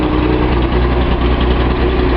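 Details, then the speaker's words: Datsun 280Z L28 six after swapping out a bad fuel injector that caused a misfire: a deep, even idle with a smooth, unbroken beat and good throttle response, firing cleanly on all cylinders while still warming up. "That throttle response sounds pretty good though."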